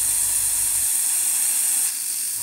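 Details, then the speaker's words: Airbrush blown through on a stand to clear leftover paint: steady high air hiss whose note thins and changes near two seconds as the last paint empties, then blowing clean. "and you can hear the change of note so there's no paint left in there"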